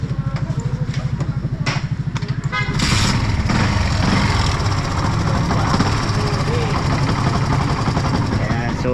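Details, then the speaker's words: Yamaha FZ motorcycle with new clutch lining still rattling at idle; quick metallic clatter from the clutch housing that vanishes with clutch lever pulled and returns when released, buried as revs rise; starter motor also not working. "So pag hinawakan mo kasi yung clutch na nangyari, so nawawala yung kalampag nya. So pag binitawan mo yung clutch nya, so nagkakaroon siya ng kalampag."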